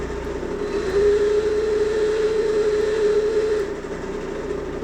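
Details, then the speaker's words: Homemade electric-brake dyno for a moped, full-current test after adding capacitor: steady mid-pitched electrical whine for about three seconds, cutting out abruptly when current reaches full; cause unknown. "Mutta se tuo langasoito ääni lähtee pois sitten kun siinä on täysvirta. En kyllä yhtään tiedä miksi."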